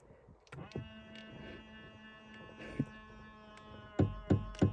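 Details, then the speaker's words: 2000 Ford Explorer XLT 4WD driver-side power mirror being adjusted: faint motor hum for a couple of seconds, then sharp stuttering clunks as the mirror moves; noisy mirror motor. "this is our Funny power driver side mirror on our 2000 Ford Explorer XLT four-wheel drive that noise is going to make me laugh if I uh move that thing the slider as I want to see how it sounds"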